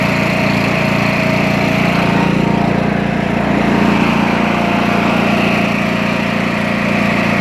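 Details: Craftsman T2200 mower, Briggs 540cc engine, after camshaft replacement. Steady, strong running at constant speed with an even beat and no knocking or clatter; engine fixed and running normally.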